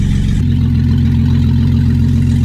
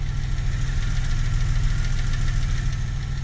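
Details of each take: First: First start of a freshly reinstalled 3.8L V6 in a 2000 Camaro, running on open headers without coolant: loud, raw exhaust note but a steady, even idle with no knocks or misses; engine sounds healthy. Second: 2000 Camaro 3.8L V6 after engine reinstall, idling with uneven light tapping three to four per second; goes away at high rpm, oil pressure good, not valve train by ear; owner suspects damaged front crank pulley area.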